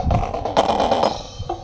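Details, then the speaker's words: Homemade horn speaker built for midrange only, driven by a bass-heavy SOCL 506 amplifier turned up: music breaks into harsh crackling bursts on loud beats, and a burning smell follows; the horn needs a dedicated midrange amp. "Karena ampli saya suaranya dominan ke bass ya. Jadi suaranya kerotok-kerotok ya."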